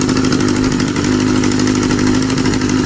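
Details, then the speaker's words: Kawasaki Z650B under restoration, fitted with substitute uncleaned F2 carbs after trouble running on all four cylinders: smooth, even four-cylinder idle, steady hum, no dropouts; number one pipe now getting hot for the first time. "yeah wow I think it's running okay now number one pipe is now getting hot for the first time ever"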